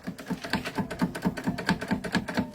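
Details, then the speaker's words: 150 motorcycle at idle: light rapid clacking, four or five knocks a second, from a loose, worn clutch basket; goes silent when the clutch lever is pulled. "Aí quando sua moto fica contando, fica aquela pancadinha toque toque toque toque, você pega na embreagem dela que o sistema aqui vai imprensar aqui, ó. Aí pode reparar que ela vai ficar silenciosa."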